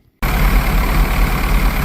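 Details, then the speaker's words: 1982 Porsche 924 Turbo four-cylinder, first start after rebuild with rebuilt fuel distributor: after brief silence catches and settles into firm, even idle with deep steady beat. No-start was fixed by correcting badly off AFM adjustment; injectors hadn't been firing. "Yeah, I got it. Turned out to be the AFM adjustment was way off. Injectors were not firing at all."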